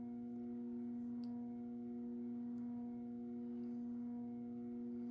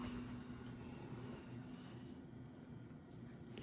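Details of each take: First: Moss Heirloom Olympus 52" ceiling fan (antique brass, cane blades, made by CEC early 1980s) on low at about 55 RPM, trim pot likely at factory setting: a steady low electrical variable-speed-control buzz hums under the fan, unchanging in pitch and very pronounced. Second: Early-1980s CEC-made Moss Heirloom Olympus 52-inch ceiling fan at full high, about 165 RPM, off variable speed: low even hum, faint buzz, no knocks or rubbing; quieted down, bearings in good shape, normal run.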